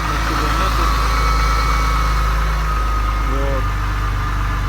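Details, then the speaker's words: BMW E34 M50B20, cold idle at −2 °C: steady, even low hum with no knocking or ticking. The owner says the hydraulic lifters only start rattling once it warms up. "при запуске холодном двигателе работает нормально при прогреве в общем начинает араба"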